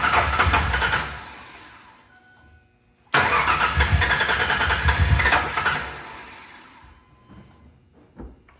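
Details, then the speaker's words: 2000 Ford Ranger 3.0L V6 after rebuild, old-smelling fuel: fires, stumbles and dies, restarts and runs unevenly a couple of seconds before fading; running a little rough, cause unknown. "the engine is kind of uh I want to say it's running terrible but it is running a little rough"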